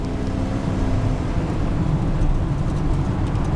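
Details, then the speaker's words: Truck on the freeway at full throttle; strong deep engine roar pulling cleanly, climbing quickly to 65 mph, no misses, knocks or slipping; healthy engine under hard acceleration. "No Then when you hammer down, she climbs up quick."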